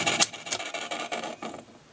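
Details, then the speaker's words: Sony TC-252D stereo reel-to-reel tape deck: a dry, scratchy rub repeats about three times a second as the reels turn, believed to be the unit's noise problem; the audio output is also thought to be missing. "right this is this is it this is the problem I do believe that is with this unit as far as the noise is concerned"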